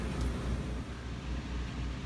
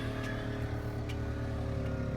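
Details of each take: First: 3700 W RV generator running a Coleman Mach 15 15,000 BTU air conditioner with a Supco SPP6 hard start capacitor, fan turned on before the compressor: steady low drone at even speed, no hunting or misfire; generator running normally under the AC load. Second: 3700 W RV generator starting a Coleman Mach 15 15,000 BTU air conditioner with a Supco SPP6 hard start capacitor, owner unsure whether the capacitor helps or hurts: steady drone sags and recovers as fan and compressor load hit; generator straining and later needs restarting.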